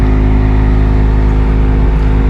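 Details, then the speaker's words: 2019 Nissan Sunny with A/C on, blower fan at full speed (setting 4): loud steady low drone with rough buzzing hum and heavy vibration at the dash; noise eases slightly at lower speeds but persists. Blower motor vibration and noise; fix requires removing pedals to pull the blower. "अंदर fan इसका full speed में चल रहा है मगर बहुत ज़्यादा vibration है इस जगह के ऊपर और बहुत आवाज़ कर रहा है। जैसे जैसे इसको स्लो करता जाऊंगा आवाज़ में थोड़ी कमी आ जाएगी मगर आवाज़ फिर भी रहेगा।"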